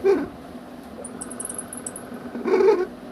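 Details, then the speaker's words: Cooler fan motor kit that jams after running a while: thin chirpy squeaks as it coasts down after switch-off, from dry, unoiled shaft bush; repaired at home without replacing the bush. "तो आप आवाज सुन सकते हो चूचू की बहुत ही आवाज कर रही है और जाम हो जाती है कुछ देर चलने के बाद अगर आप बंद करते हो तो इस तरह से आवाज आती है"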